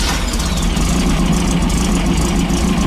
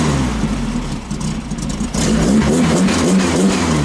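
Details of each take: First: 1915cc VW Manx buggy air-cooled flat-four idling smoothly with no stumble after 009 distributor replaced by 034 and ignition timing set; steady low thrum, slight belt squeal from loose belt. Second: 1915cc air-cooled VW flat-four in a Manx buggy with a 009 distributor and off timing, blipped: revs up quick but stumbles immediately on throttle tip-in; belt slipping and squealing.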